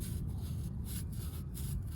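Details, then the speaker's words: Worn, scored brake rotor on a 2003 Toyota Camry LE, spun by hand during a DIY brake job, gives a rough, gritty scraping rub instead of the quiet, smooth spin a good rotor should have. "it's not supposed to sound like that. It's supposed to be nice and smooth compared to this."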